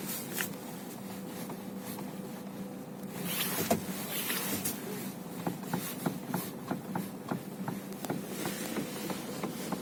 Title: Стук при повороте руля на месте Renault Megane 3